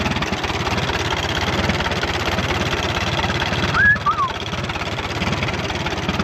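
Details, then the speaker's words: 1936 Allis-Chalmers WC tractor, barn find, running for first time in over five decades: slow, even low putter from the four-cylinder idling steadily with no knocks or misses; engine sounds good though the radiator is leaking water. "Man, listen to that thing purr."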